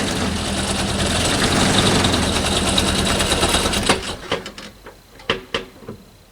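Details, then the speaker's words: 1989 Toyota Corolla engine: rapid metallic knocking over uneven running until it stalls; it will not idle. "all right guys i just dragged home this 1989 toyota corolla it's actually not my car it's my sister's car and uh the engine's not running right sounds like it's knocking so so"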